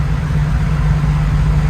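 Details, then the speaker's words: 1979 Beech V35B Bonanza, Continental IO550, first start on new ElectroAir EA21000 electronic ignition, flooded start: deep steady low idle rumble, even beat, no misses or stumbles; firing cleanly on electronic ignition. "Yes. We started on the electronic ignition, folks. Yes, we did. One-handed even."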